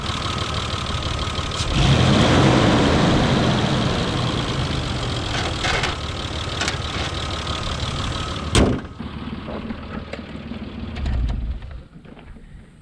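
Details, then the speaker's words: 1997 Isuzu Rodeo, 3.2 L GM V6 (190 hp), 5-speed, 2WD, got running after clutch bleed and fuel treatment, with wiring issues: loud rapid clatter over a rough idle, ticking like an old diesel; source unclear. "She has some wiring issues and it sounds like an old diesel. But hey, she's a ripper."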